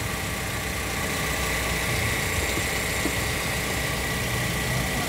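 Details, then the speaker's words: Toyota Sienta after water pump replacement, which was found to cause the rough engine noise: smooth, even idle with a faint steady whistle and no roughness or grinding from the front; engine back to normal. "Muara mesin kembali normal ya menjadi halus lagi jadi penyebabnya adalah dari water pump nya ya"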